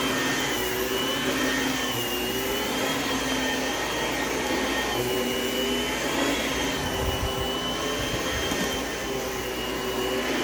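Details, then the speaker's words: Oreck XL Platinum upright vacuum running on new carpet: steady motor roar with a faint wavering buzz on top from loose ingest bars still needing a fix. "So, this Oreck, well, first off, I still need to fix a little issue with the ingest bars. You can kind of hear the little buzzing noise that it's making. The, bzzz thing that it's doing."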